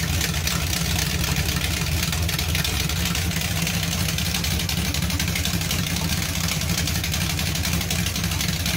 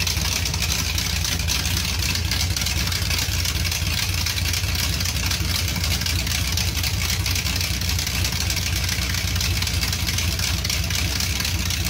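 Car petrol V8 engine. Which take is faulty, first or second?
first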